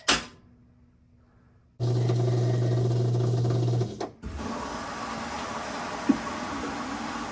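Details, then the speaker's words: Whirlpool WFW87HEDCO front-load washer, back panel off, run briefly after repair for an F09 E01 not-draining error; steady low hum then water rushing in with no draining gurgle: normal fill. "now I'm going to run the washer just for a couple of uh seconds to make sure it fills with water and it's not draining from there before I put the back panel back in"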